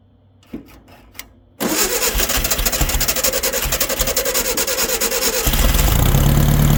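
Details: 1964 VW Baja Bug, formerly seized engine, sitting over a year, started on old gas after battery charge: a couple of cranks, catches, steady idle rising smoothly with throttle; runs fine.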